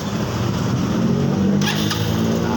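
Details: Yamaha Xeon scooter after repair, burnt stator coil replaced with a Jupiter MX one and original regulator refitted: steady even idle, smooth low hum, no knocks or rattles; now starts and charging works.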